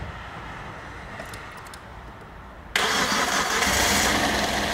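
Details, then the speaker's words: Toyota Corolla engine, first start after reinstalling, battery charger attached: quiet cranking catches at about three seconds, settles into steady even idle; starts easily, no engine lights, cooling fan running. "First start! How easy was that? Awesome!"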